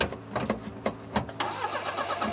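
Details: 1988 Daihatsu Hijet mini truck that died and sat in storage for about 2 years: uneven starter cranking for about a second, then it catches into a ragged, unsteady run with some smoke. Hard starting after long storage.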